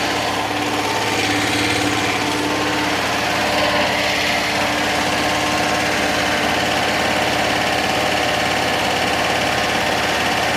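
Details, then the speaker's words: 1966 VW Fastback flat-four, freshly installed engine, first start after correcting firing order 180° out, running on six volts: fires and settles into a steady, smooth idle, no knocks or misfires; normal idle, smoking off marvel oil. "do we have ignition oh that sounds like music"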